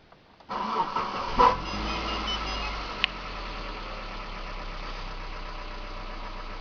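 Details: 2001 Mitsubishi Lancer Cedia GDI 4WD, which also has a leaking radiator: the engine cranks, catches and idles with a hard, rapid ticking from hydraulic lifters; hydraulic lifter tapping.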